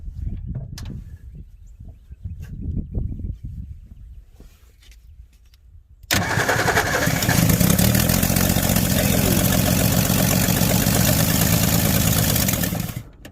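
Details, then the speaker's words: 1961 Ford Falcon Futura parked 20 years, renewed attempt after day two with fuel poured in and spark checked at the coil; scattered clatter, then engine catches sharply and runs steady and even about seven seconds; normal start and run. "she runs she runs chirons all righty i'm gonna get a little more fuel"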